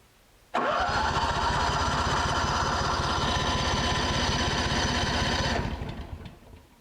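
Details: Honda generator that sat about 7 years with old gas in the system, cranked with choke after carburetor work and fuel confirmed reaching it. Fast, uneven chuffing firing for about five seconds then dies; kicks but won't run.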